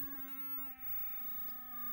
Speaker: it's just going through tones and that is not correct for Stargate